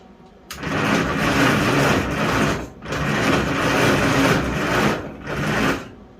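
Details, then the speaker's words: 1956 Farmall International 300 Utility, first start attempt after freeing up, new plugs and tune-up kit: three bursts of steady cranking, never fires; owner suspects intake blocked by bug debris so no fuel drawn. "I have a feeling that intake's got to come off. Because I just don't think it's pulling any fuel."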